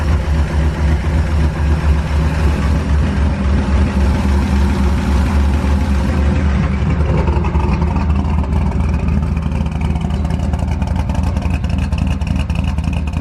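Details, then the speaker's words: Ford F100 V8 with new aluminum heads on open headers: slight rapid tick riding on the rumble that quickens with revs; owner is pretty positive it is a valvetrain issue because it fluctuates, not confirmed. "so it does run there's a slight noise i i i'm pretty positive it's a it's a valve train issue because it fluctuates"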